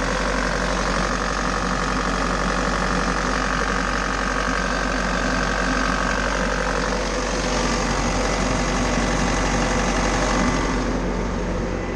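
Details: Bobcat T590 diesel after water pump replacement (old pump bearing failed, seal leaked coolant), warming up, water temperature still low around 122 degrees, thermostat thought to open near 140: even, constant idle clatter, no misses, knocks or surging.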